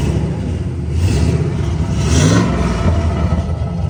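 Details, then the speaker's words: 2004 Chevy Silverado with newly installed long tube headers, revved: deep V8 rumble with a raspy puffing edge under the rev; header exhaust leak. "I know you can hear all the exhaust leaks, especially [Music] right where it's rattling like a [ __ ]"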